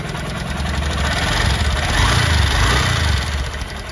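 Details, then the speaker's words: Honda SP 125 BS6 motorcycle at idle: quick light ticking, about three or four per second, on the single-cylinder beat; mechanic first suspected a loose timing chain but found excessive tappet clearance, mainly the exhaust valve, fixed by adjustment. "बहुत ज्यादा यह पले है इतना ज्यादा य पले है इसी वजह से टिक टिक आवाज करती है"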